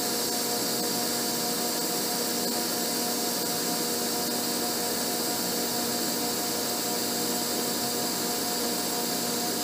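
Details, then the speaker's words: Abene mill widening the broach bushing slot, stepped over 34 thou toward a 382 thou width: a constant high whir with no chatter, squeal or pitch change across the pass. The cutter takes a clean, smooth cut. "so i've moved over 34 thousandths [Music] cutting it just fine this way"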